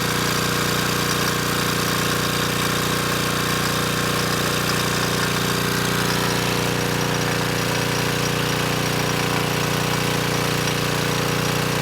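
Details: Repaired Coleman Powermate Pulse 1850 generator, June 1996 engine, loaded with a space heater slightly over its 1500 W rating: steady, even drone holding speed, no hunting or surging, maintaining 114 V at about 62 Hz; normal running under load.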